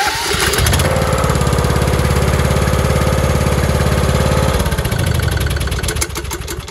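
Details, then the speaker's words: Lawn mower that only clicks because of a bad solenoid, started by jumping battery power to the starter wire: cranks at about three pulses a second, then catches and settles into an even run; normal cranking and start. "that's how easy it is to crank your lawnmower."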